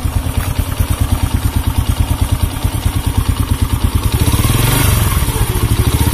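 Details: Honda C100 (Grand) single-cylinder motorcycle revving: coarse uneven putter about three pulses a second, roughening with revs, with sluggish acceleration; cam chain and clutch later inspected, cause unconfirmed.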